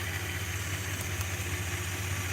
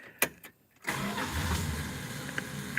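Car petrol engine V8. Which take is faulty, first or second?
first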